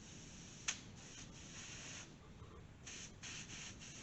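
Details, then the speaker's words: Used LS fuel injector bench-tested with pressurized fluid for a Chevy C10 LS swap: soft hissing bursts of air and fluid come in clean pulses when triggered and stop when unhooked, so this injector is good. "You can hear air coming out. It does spray liquid out too, obviously. And then when you unhook it, no air. So this one's good."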